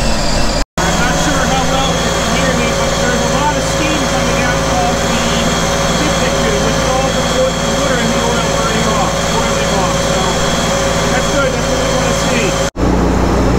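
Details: 2009 Sea-Doo Speedster 150 after intercooler, oil and filter replacement, during boil-out procedure, engine at 171° and zero faults: warm steady even idle, constant low drone, no knocks, surges or stumbles; normal idle.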